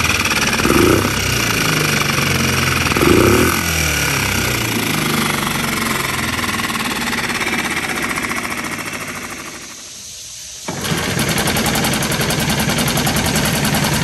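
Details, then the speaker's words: New Hangkai 6.5 hp four-stroke outboard in water barrel, after unscrewing the over-set idle speed screw: quick even chuffing, no misses, briefly cut then restarted; settled healthy idle. "i unscrewed it some and it seems to be fine now let's see if we can crank it up with me holding this see that sounds a whole lot better"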